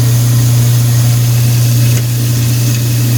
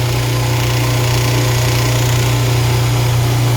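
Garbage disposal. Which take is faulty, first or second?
second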